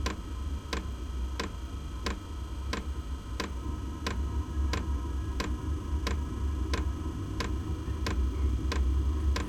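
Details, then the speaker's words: Inexpensive diesel heater being set up in a shed, starting up: sharp, even ticking over a low fan rumble as the fuel pump primes and the glow plug fires. The loud ticking goes away once priming and initial startup finish. "there's the glow plug right you hear it ticking louder and from what I've seen that loud ticking goes away after it finishes this priming and uh initial startup"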